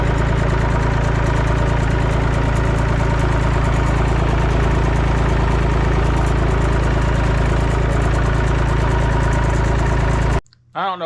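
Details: Massey Ferguson 245 three-cylinder diesel tractor revived after sitting 12+ years with a burnt, melted radiator. It is being driven to the barn and gives a steady low clatter of about three and a half beats a second with no knocks: normal running.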